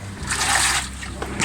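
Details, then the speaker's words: Top-load automatic washing machine after repairs to the noisy drain pump and other parts: water sloshing in irregular surges as the tub agitates, no knocking or grinding; filled to the correct level and washing normally. "all right it's stopped at a correct level and now it's washing i think we're all good"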